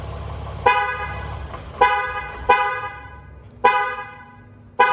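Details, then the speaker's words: StarLine S9 V2 alarm with integrated tracker on a Mercedes ML W166, anti-hijack mode activated from the app with engine running: loud siren chirps repeating about once a second, then the engine is cut and shuts off. "dans l'application active le mode cardiaaking donc l'alarme va se déclencher puis le moteur va se"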